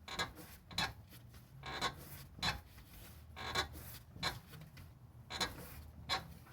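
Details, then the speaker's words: Car with noise from the passenger side when braking and stopping, shocks reportedly already replaced: dry creaking rasp with each push and pull on the wheel, about one per half-second; lower ball joint and control arm bushing destroyed, metal on metal. "no sirve ya la rótula de abajo y ahí voy y no sirve este mujer de aquí y este bus inc degeneres nuestros acercar más para que a tratar está todo destrozado"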